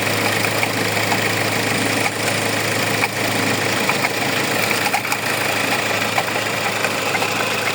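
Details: Hyundai engine at steady idle with a constant whirring rattle that never changes, coming from a faulty alternator pulley.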